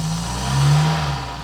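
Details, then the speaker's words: Barn-find Citroen BX 4x4 running after about 13 years off the road, with the missing engine-bay parts refitted. It runs smoothly and evenly with a brief gentle rev rise and no knocks or misses. The idle air control valve is not working; relays are suspected. "running pretty nicely"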